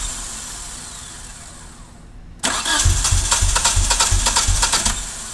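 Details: 1G DSM after top-end rebuild, suspected rich fuel-air mixture: long quiet crank-like hiss, then the engine catches and runs rough with uneven pulses and idle surge; hard start, cause unconfirmed.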